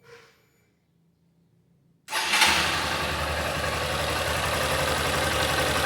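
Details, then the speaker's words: 2021 Honda CG Start 160: quick start into a steady, even single-cylinder idle with no knocking, quieter than a 125; engine runs cleanly. "e esse barulho funcionando redondinho não bate nada tudo direitinho tá até mais silenciosa do que a 125 que eu tinha"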